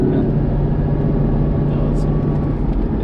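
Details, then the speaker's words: C5 Corvette Z06 on the road: faint steady whine under heavy road rumble, isolated to one gear and gone when shifted out, so the transmission is blamed, not the differential; needs a new transmission. "so see we're going i pop it out of six and the noise isn't there any longer so it's really transmission"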